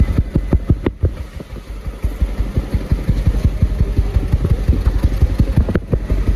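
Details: Toyota Yaris 2024 at idle: uneven pulses about three per second with an occasional heavier thump breaking the rhythm; engine missing, misfire detected.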